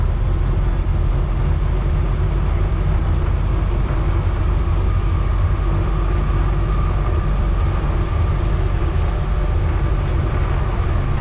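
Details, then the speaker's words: EZ GO GTI 875 golf cart after new aftermarket carburetor and fuel pump, driving: steady low even engine drone with no knocks or misses, seems to run really good. Normal running. "seems to run really good I think it does"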